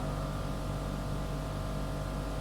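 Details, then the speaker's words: Pipe organ at St Mary Magdalene, Newark, solo division: a single deep note drones on without pause, steady in pitch and loudness, a cipher. "one of the other divisions is called the solo augment and here we have another cipher"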